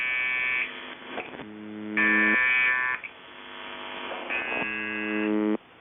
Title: Weird Buzzing Sound On The Buzzer 7.2.2025